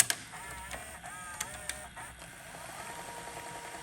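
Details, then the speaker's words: Emerson VCR968 VHS VCR with an early Orion transport, rewinding a tape: a few light clicks, then a smooth motor whir rising steadily in pitch as the reels spin up; normal rewind. "and then there you go and there's rewind now you can go right into play"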